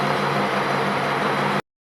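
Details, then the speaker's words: 1929 Studebaker camper on bus chassis, fully rebuilt President 8 straight-eight (new rings, aluminum pistons, balanced crank, rebuilt fuel pump, flywheel); steady even low burble at idle, no knocks, misses or ticks, motor sounds good. "That's it? Well, that motor sounds good."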